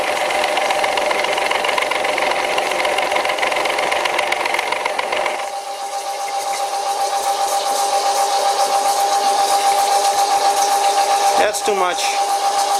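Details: Old WW2 Fischer lathe on v-belt, topped with hydraulic oil, hand-fed test cut, owner hoping the small motor pulley won't slip: steady high ringing tone with rough rattle underneath during the cut; heavy cutting chatter.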